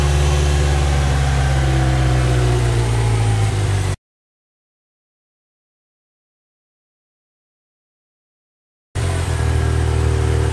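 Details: Ford Ranger 2.3 petrol truck at idle: deep uneven pulsing, sputtering and stumbling, bogging; MAF cleaned, new plugs, wires, coil pack, PCV valve and throttle position sensor, throttle and air filter cleaned without cure; owner found an unconnected vacuum line.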